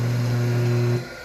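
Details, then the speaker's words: Single-phase 2 hp electric motor on a normal wall outlet, after cleaning and lubrication: a steady, clean hum with no grinding, then a smooth wind-down. It previously made a strange dry noise because it was very dirty, and now runs normally. "Fez toda a limpeza, lubrificou todo. Tá funcionando normalmente, galera."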